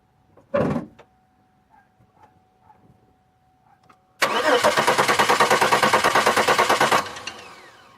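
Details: 2002 Chevy Malibu: engine cranks evenly at about three turns a second but never catches; crank-no-start with the fuel pump running and spark present, but the injectors are not opening. Owner suspects the cam sensor/ECM signal; not confirmed.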